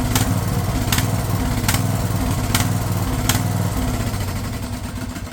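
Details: Craftsman LT1000 lawn tractor, small single-cylinder engine running steady and even with a light tick about once a second, after the fuel solenoid was found cut off; gas freshness uncertain; sounds healthy, normal running.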